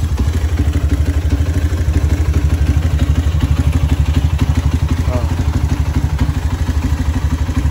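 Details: Honda CB motorcycle after an engine teardown with a rebored cylinder: a steady, even idle thump with no knocks or rattles, just a faint light tick from the PWK carburetor; the engine now runs smooth.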